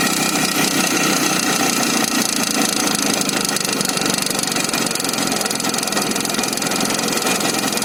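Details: Izh Jupiter 5 two-stroke motorcycle engine, started right away; busy idle with fast, loosely spaced tapping of about two to three knocks a second over the buzz, an engine knock.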